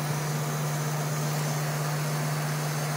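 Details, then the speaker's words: PC water-cooling loop with a 24-volt high-head-pressure pump turned up to full speed: loud steady whir with a low hum and a hissy wash as air bubbles are pushed through the loop and reservoir during bleeding. "The reason why I get a 24 volt pump, because as you can see right now, you can hear the sound of my pump with bubbles in it."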